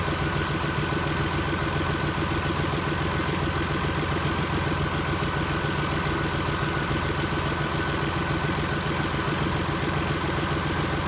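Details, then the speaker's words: 2001 Chrysler LHS 3.5L V6, rebuilt without replacing hydraulic lifters, idling just after adding TriboTex oil additive: steady idle with light faint top-end ticking, sounding like a tired hydraulic lifter never replaced. "this engine uh was rebuilt at one point and um time we were in a little bit of a hurry we never did change out the hydraulic lifters"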